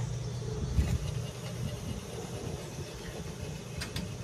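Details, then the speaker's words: Range hood blower motor running freely with the belt off: rough, uneven low rumble, worse in one direction; the bearings are bad, and a wiring rub in the motor is suspected of intermittently tripping the breaker. "bearings not good much worse that direction man"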